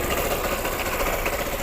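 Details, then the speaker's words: ER150N single-cylinder motorcycle, previously hard starting, kick-started without battery after valve tappet adjustment (tune-up): even, steady single-cylinder beat at constant pace, no knocks or misses; now starts on one kick and runs healthy. "so Ayan siya mga katrops gumana na talaga one click umaandar na siya sa kick start kahit walang battery"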